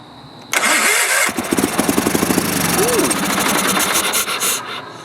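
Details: Early-1980s Sears Craftsman FF20 tractor, not run since 2009, just after carburetor cleaning with choke partly on: it cranks, catches and runs ragged for a few seconds, likely on carb cleaner, then dies; cause suspected, not confirmed.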